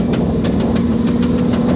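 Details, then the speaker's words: Pathmaker rig driving with broken Dana 300 transfer case (6th failure, on first rock-crawling obstacle): sharp steady knocking six or seven times a second over engine drone; internals broken, case not split, spare to be fitted. "not going to lie this is not the first time I've driven home with my Daya 300 make it sounds like that"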